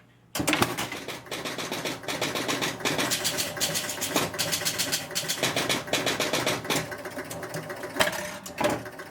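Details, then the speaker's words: Pinball machine, four-player electromechanical score reels, powering up: rapid relay clatter and score reels stepping to reset in bursts, then the kicker fires the ball out; resets and starts normally. "Okay, the machine started up, ball kicked out."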